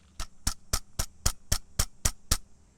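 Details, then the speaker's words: OEM clutch disc removed from GSX during clutch and transmission replacement, shaken by hand: sharp metallic clacks about four per second; damper springs very loose, cages rattling, lining worn to rivets, disc destroyed. "sounds very loose. It's very worn out. All the cages are rattling. You can move them."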